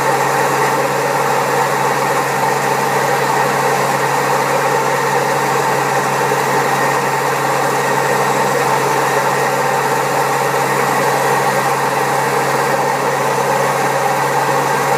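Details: Old Servis Caress 1300 A washing machine, also with a creaky pump, spinning at 1300 rpm: loud, rough, constant roar with a droning hum; very bad drum bearings.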